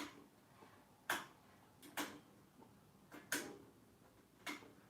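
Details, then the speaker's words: Westinghouse searchlight railway signal wired with a relay cycling through its three aspects: sharp single clicks about every second, slightly uneven, in a quiet room. Normal relay switching. "we've got relay controlling our plugs and disconnecting the circuitry soon for this signal to work"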